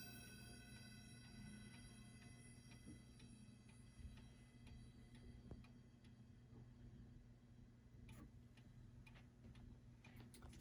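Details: Vintage French Franz Hermle Boulle-style clock, pendulum just set swinging after being turned; light steady ticking under lingering ring of struck chime tones, even escapement beat; normal pendulum tick.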